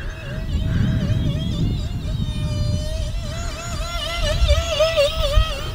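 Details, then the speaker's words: E-flite UMX Citation Longitude twin 30mm brushless EDF electric RC jet in flight: high fan whine warbles up and down about four times a second over wind, the low-battery warning pulse, before landing and losing all power except steering. "guys hear that that's the low battery that's the low battery warning so we're gonna land it"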